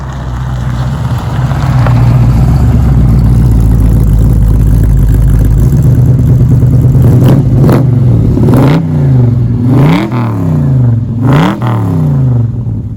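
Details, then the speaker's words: Holden LX Torana V8 with dual tailpipes: deep, lumpy idle rumble, then sharp blips with a harsh, raspy HQ-style bark; owner plans to replace the tailpipes. "it's got that horrible HQ bark and I don't know about you but that sound is disgusting if you know the sound you know exactly what I'm talking about"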